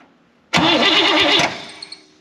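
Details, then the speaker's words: 1964 Buick Electra 225, fire-damaged and being revived: about a second of starter cranking with even, rhythmic compression pulses on each stroke, engine turning over with compression but not firing. "this thing should have a pretty stout pop oh I hear it we got compression now"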